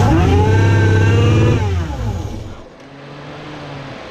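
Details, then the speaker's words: Ford Mustang 3.7 V6 with newly fitted supercharger kit, first start: flares to high revs with loud rising then falling supercharger whine, then drops to quieter idle; bystander suspects vacuum issues, cause unclear. "Jesus, that bitch was screaming. What was that? Vacuum issues. Oh yeah. I heard that fucking supercharger though."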